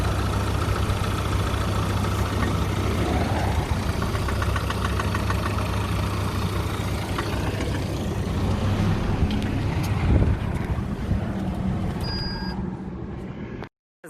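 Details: Vectra that overheated while driving, temperature gauge high, restarted after it cooled to mid: steady low rumble with a rough, uneven undertone throughout; abnormal engine noise, cause not yet known.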